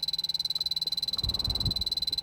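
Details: 2005 Toyota Prius that came in with 16 PSI vapor-only refrigerant, final AC evaporator leak test after 20 minutes soaking, blower quickly pulsed toward dash vent: detector's shrill rapid ticking about twelve per second stays even during fan puff; no refrigerant leak.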